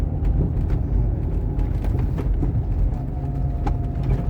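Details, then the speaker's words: Renault Megane II Grand Tour, front shocks replaced about two years earlier: sharp metallic clicks and knocks over road rumble from a worn right front strut rod bushing; steering rack and tie rods tested quiet. "é bem comum aí soltar um gastar bucha da haste do amortecedor do lado direito como a gente consegue escutar o barulho que é bem metálico"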